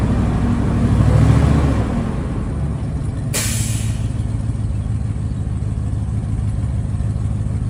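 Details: 2020 IC CW gasoline school bus with PSI 8.8L V8, start-up and revving: deep rumble with a rapid puffing pulse that swells under throttle, from an exhaust leak.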